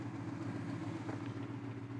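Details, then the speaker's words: 1976 Jeep Wagoneer abandoned about 4 years, new battery, old gas, just started after fixing wiring: low, even rumbling idle with steady beat, no ticking or knocking, no smoke; aftermarket gauge shows 60 psi oil pressure; runs healthy. "Oh, buddy. She's running. Success. Doesn't even have any smoke. No smoke."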